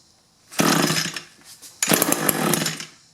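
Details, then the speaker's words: Nearly new Echo 2-cycle hedge trimmer with a replacement engine, fitted after running straight gas with no oil mix; it only runs on choke. At half choke, two short buzzy bursts die under a second each, not drawing fuel; primer bulb lines hooked up backwards. "Choke halfway. It just doesn't seem like it's pulling fuel. Now, one thing that seems a little odd to me on this is this purge or primer bulb. It just seems like it's pulling gas, but it's also pushing air, so I'm going to make sure they hook this up right."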